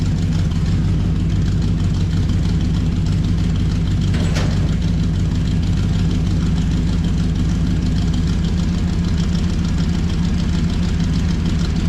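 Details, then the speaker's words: 1968 Chrysler Newport V8 with new headers and a homemade exhaust, driven only about four miles, warming up with headers still smoking. A deep, even, throaty burble with no misses, knocks or ticks: a healthy idle. "up a little bit a let warm up a little bit still got still got a little bit of smoke coming off these new headers I've only driven it like four miles total but uh sounds awesome"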